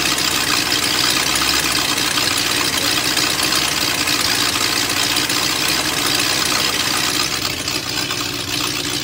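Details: BMW M62TU V8 (E39 540i / E38 740i) after new chain guides: loud, raspy, uneven idle with ragged beat as timing chain jumped while running; SAI aluminum pipes off, adding exhaust noise.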